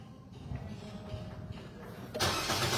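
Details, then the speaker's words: Engine start with the brake pressed, using the second original key after key programming: quiet background, then at about two seconds the engine fires and picks up to a steady run; a clean, normal start. "Then, start the engine. Yes, nag-start siya. Okay. Successful."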